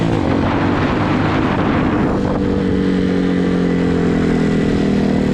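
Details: Hawk 250cc motorcycle single-cylinder running at half choke: flat, lumpy note that bogs out and never picks up cleanly; owner suspects carburetor or choke fault giving too much fuel.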